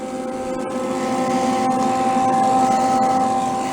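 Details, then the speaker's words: Old roadside-discarded Lincoln 110/120 V wire-feed welder, first power-on after long storage: constant low electrical buzz at steady pitch, smells a little funny; cause unclear, owner wonders if something is stuck in the fan. "made some kind of weird noise doesn't it sound like it's like buzzing like electrical buzzing i don't want to touch it"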